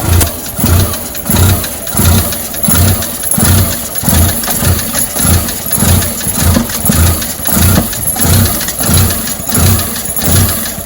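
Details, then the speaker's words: Fiat 500 Lounge idling rough. A heavy, evenly spaced bang comes about 1.5 times a second. The source is unknown; the owner looks around the injector and inlet manifold area. "but what the hell is making that banging noise any ideas what's causing that bang please let me know see what you think"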